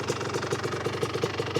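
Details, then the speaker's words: 1985 Honda ATC 250R two-stroke after a complete engine rebuild with all new parts, during break-in heat cycles: idle with a sharp tick about six times a second over the exhaust beat; the noise remains, not clearly changed from before. "Just got her back together this morning. Not sure if the noise is much different than it was, but we got all new parts in there, so we know it's good."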